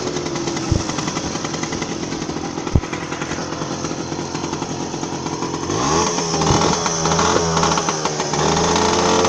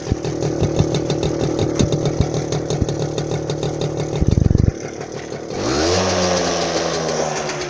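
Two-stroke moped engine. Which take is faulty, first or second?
first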